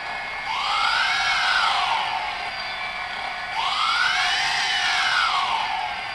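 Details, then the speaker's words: DJI Phantom brushless motors after the bearings were oiled with high-speed brushless motor oil: two smooth spin-ups, a clean whine rising and falling with no more grinding. Normal motor run. "more grinding no more grinding so the high speed motor oil definitely made a difference"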